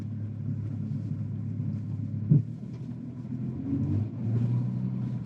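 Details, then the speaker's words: Audi Q7 3.0 TDI at full lock in a tight turn: low engine rumble with heavy driveline thumps, car shaking as the failing transfer case binds up and releases; fluid burnt with metal shavings, tyres skipping. "You can if you can hear that, you can hear it knocking in the driveline. The whole car shakes. There it goes. So it's binding up, releasing, binding up, and releasing."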